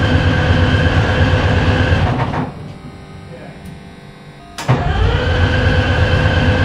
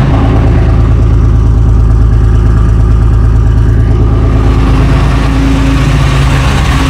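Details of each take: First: FV432 troop carrier diesel, long-sitting, first start attempt with air filters refitted: heavy diesel rumble drops to near silence for about two seconds, then picks up again; it starts and shuts off. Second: FV432 troop carrier diesel, long-sitting, being revived and running on real diesel: deep, steady, even rumble with clean throttle blips and no misses or knocks; normal running.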